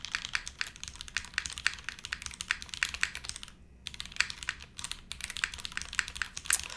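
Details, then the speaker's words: Monokei x SingaKBD Jaguar TKL keyboard, TTC switches: a steady run of typing clicks with one harsher, brighter clack. The space bar still sounds sharp, and the owner thinks it's the switch. "What's nice is both the space bars, it's still sharp. It's not as sharp. I still hear the sharp. I think it's the switch."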